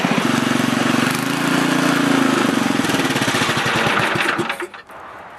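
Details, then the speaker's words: Older 7HP Tecumseh snowblower engine after carburetor rebuild with a new kit, on fresh gas, primed and choked: quick, fairly even single-cylinder chugging before winding down, no misses; runs good. "it runs good I'm just going to do a quick restart to make sure that everything's still good even though it's warm"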